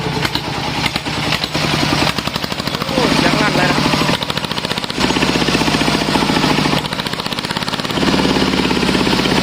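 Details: Kubota single-cylinder diesel just rebuilt, homemade open racing exhaust with internal baffles drilled through to clear a clogged pipe: hard barking, fast sharp crackle about four pops a second, loud but running evenly.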